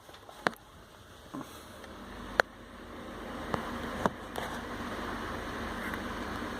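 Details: New Ford Ranger with engine off and key removed: sharp, irregular small clicks from inside the dashboard over a faint hiss, from a small actuator motor that keeps moving; cause still being traced.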